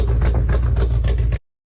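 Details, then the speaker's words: Ford Mustang GT 3-valve V8 with low cylinder 1 compression, destroyed cam rocker arm and valve lash: lumpy uneven idle with rhythmic stumble and flat exhaust beat; dead cylinder misfire. "Sounded similar to my car when I first got it. I think that's a dead cylinder in there."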